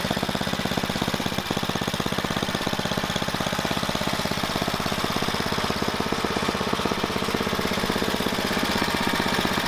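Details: Tecumseh Snow King snowblower engine after carburetor replacement: fast, steady popping beat holding speed without stumbling or surging; runs properly now.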